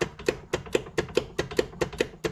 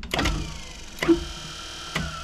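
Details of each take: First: 1994 Club Car DS gas golf cart in forward with the pedal pressed: sharp regular clicks about four per second and no cranking; battery thought fine, with the solenoid or starter-generator brushes suspected. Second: 1994 Club Car DS gas golf cart that only clicked and wouldn't start; starter generator temporarily hooked to battery spins with short smooth electric whirs, no scraping, grinding or stalling; sounds pretty good, normal spin.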